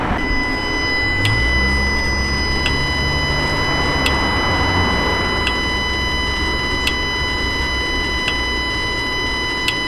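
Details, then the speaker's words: 2018 Dodge Ram 5.7 Hemi with check engine light and cruise/Eco not working, cylinder 4 MDS solenoid toggled with scan tool: sharp clicks about every 1.4 seconds over steady high throttle-body hum; normal MDS solenoid clicking. "we'll get this one yep I can hear this yep you can hear that one clicking"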